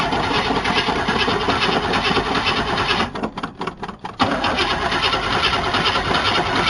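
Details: 1977 Chevy C10 Custom Deluxe V8 truck, sat on ramps for years, exhaust not hooked up: harsh raw bark and crackle at idle with a couple of throttle dips, far too loud from open exhaust.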